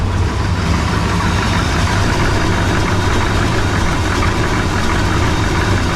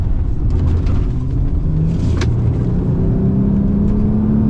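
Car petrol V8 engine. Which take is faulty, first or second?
first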